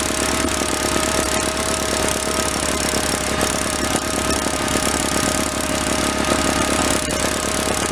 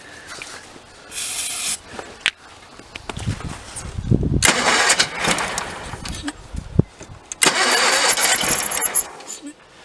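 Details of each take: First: 1985 Case Ingersoll 448 Hydrive garden tractor, Onan B48M/B38M twin-cylinder, warmed up: steady, even chatter at constant pace, no misses or surging; fuel now delivered, normal running. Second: 1985 Case Ingersoll 448 Hydrive garden tractor, Onan B48M/B38M twin, crank-no-start after fuel line replacement: with starting fluid sprayed into carburetor it catches in short bursts, sputters and dies between; running only on fluid, fuel starvation from failed fuel pump.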